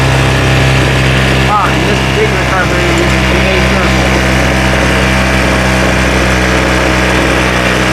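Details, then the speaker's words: Craftsman leaf blower two-stroke after carb rebuild, cold first run, not pre-warmed: steady even buzz at constant speed with no surging or stumbling; running smoothly. "Sounds good, sounds good."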